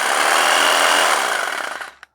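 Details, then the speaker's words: Skil jigsaw, tested plugged into a tester: motor runs with a steady high whir, no rattle or grinding, then winds down cleanly when switched off; works fine. "oh let's turn that on [Applause] that actually feels very good it's probably much better quality than what you'd buy these"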